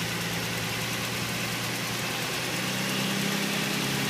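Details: 2005 Nissan 350Z at idle: a light, quick ticking of roughly three a second seems to come from below the intake manifold; the owner suspects the injectors or hydraulic lifters; the cause is unconfirmed.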